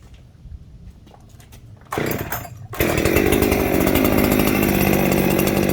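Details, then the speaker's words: Ported Echo 7310 chainsaw with muffler mod and a scored piston: after a pull it jumps straight to a fast, steady howl with no throttle; high idle from an air leak at the cylinder transfers, found with carb cleaner (MotoSeal had been used there). "It started idling real high. What's going on? It's air leak."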